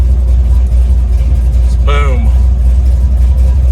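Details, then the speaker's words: 1970 Chevy Nova big-block Chevy V8, warmed up after water outlet gasket coolant leak fix, fires up easily and idles before a road test; deep steady even rumble, no misses or knocks, temp and oil pressure good. "she's ready to rock this thing fires up really easily too"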